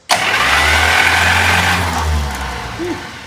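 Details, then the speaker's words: 1951 Buick, abandoned restoration, cranked with the spark plugs out on what is probably still a 6V starter fed 12 volts; fast, strong, even churning about three beats a second, then a clean wind-down; normal cranking. "That's probably still a 6V starter. And that's that's hitting it with 12 volts. So, let's spin it a little more."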